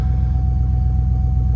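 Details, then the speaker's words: GM Vortec 5.3 V8, idling after a 5-minute diesel/kerosene oil flush and oil change for lifter tick: deep smooth even idle, no lifter ticking heard, scan tool shows 0 misfires. Normal idle after fix. "And as you can tell, I don't hear any lifters ticking. Maybe a litt"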